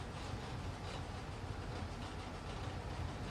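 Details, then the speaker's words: Old gas dryer after replacing all five drum support wheels; a steady low tumbling rumble with soft even thumps, no squeal, and the burner flame audible; the drum now turns normally. "no more squealing. Just fired up. I could hear the flame."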